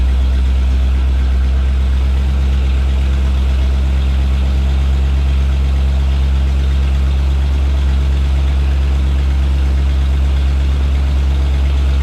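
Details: 1989 Jeep Wrangler YJ on newly installed ACES EFI, timing checked at 15° advance; steady deep idle with even low rumble, no misses, knocks or ticks; normal idle.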